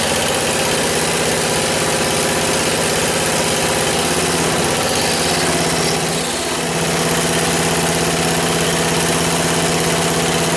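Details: 1977 MTD 990 16 hp Dayton-badged tractor engine after the points were done, the coil gapped and ignition and starting-system wiring faults fixed: steady, even thumping idle with no stumbles or misses over about ten seconds, healthy.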